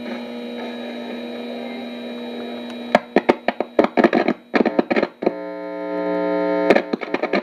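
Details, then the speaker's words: Realtone 2208 radio under repair, probed with a signal tracer on AM/FM: steady low mains-style hum with buzzy overtones and bursts of crackle and pops, newly coming from the signal tracer itself, cause unknown; switching it off and on sometimes clears it. "now that the noise you're hearing now is something that just started happening with my signal Tracer I have no idea why it's doing that"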